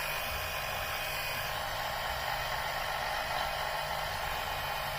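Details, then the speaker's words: Powered oil suction pump, switched on for the first time for an oil change after a 5–10 minute engine warm-up: steady buzzing motor with a strained, hissing suction note. Suction is strong enough to flatten the hose. "Boy, this is going fast. There's so much suction, it's sucking this tube in flat. Look at that. Boy, it's really sucking."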